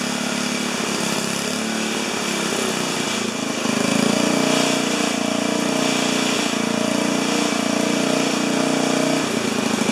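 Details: 4HP horizontal Briggs single-cylinder, first start: fires, then surges to high screaming steady speed and never settles; runaway because governor not connected to throttle arm.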